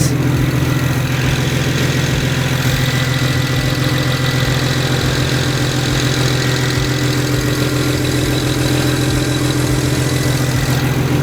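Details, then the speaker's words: 2008 BMW 135i with new motor and single turbo kit, first start on a cold day: cold six-cylinder idling steadily with an even low burble, no knocks or misses; normal idle. "so as you can see it burns like a kitten I'm real happy with this"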